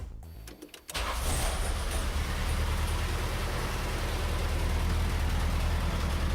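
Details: Gasoline engine that replaced a failed diesel, starting on a freshly rebuilt Holley Weber Motorcraft 32/36 5200 carburetor: it cranks briefly, catches at once and settles into a steady, even idle with no stumble or misfire. It starts and runs healthy.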